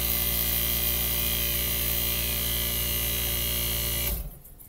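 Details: 1965 Fedders Weather Wheel air conditioner, restoration test after cleaning the sticky switch with rubbing alcohol, started via thermostat: steady low hum, constant tone, no rattle or knocking, then cuts off cleanly; compressor running normally.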